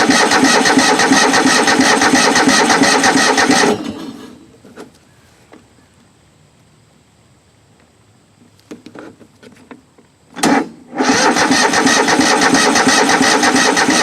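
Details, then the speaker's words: Craftsman mower engine not run in a while: even starter cranking at about three turns a second with no firing, a pause, then more cranking; it cranks but won't catch yet, and owner adds a little gas. "Well, cranking over anyway. Get a little gas up to it, it may start."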